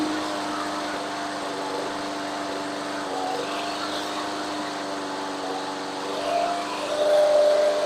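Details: Craftsman 21-inch mower, Briggs and Stratton 6.5 hp, after carb clean, idle being adjusted: steady, even small-engine drone with no misses, speed lifting toward the end; running healthy.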